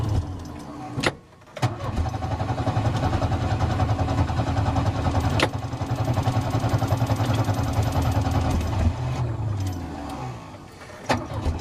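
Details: Engine run on Microsquirt engine management cranks, catches and revs with an uneven, stumbling beat and irregular pulses that never settle into a smooth rhythm; misfire.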